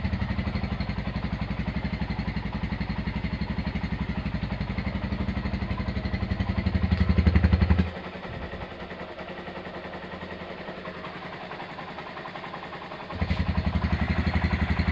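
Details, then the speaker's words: Honda GL100 single-cylinder engine after rebuild with new Aspira piston and CDI ignition, valve clearance 0.10: even steady thumping, level dips then returns, no ticks or knocks; smooth healthy idle. "Oke, itu dia hasil peremajaan mesin Honda GL100 ya. Untuk suara mesin halus dan enak ya."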